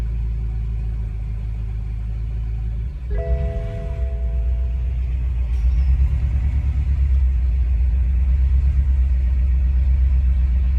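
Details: 2014 BMW M5: the low engine rumble pulses unevenly with an off-beat stumble in the firing rhythm, indicating an engine misfire.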